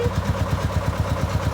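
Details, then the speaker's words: 1987 Bobcat 741 skid steer, diesel engine, old machine with some performance complaints: quick, even diesel chug, about ten firing pulses a second, no misses or knocks; diesel motor idles healthy. "It's a 1987 Bobcat 741, which is a diesel. I think the diesel motor, it actually works really well."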